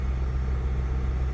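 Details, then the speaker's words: 2003 Honda CR-V with P0505 and P1505 pending, idle air control valve replaced twice (aftermarket), idle relearn at 3,000 rpm tried: steady raised idle around 2,000 rpm that never settles; no vacuum leak found, cause unconfirmed. "Stays at 2,00. I tried doing the idle relearn process where you keep it at 3,000 RPMs. I had that in there for like 5 minutes. Still no difference."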